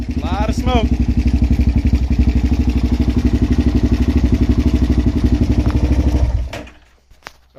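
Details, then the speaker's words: Suzuki LTZ400 single-cylinder quad bought cheap: uneven thumping about four beats a second with heavy top-end chatter, blowing smoke; owner believes it needs at least rings, valve chatter suspected, not confirmed. "right so definitely has a lot of chatter up here um it's also blowing a bit of smoke so it definitely is at least going to need Rings"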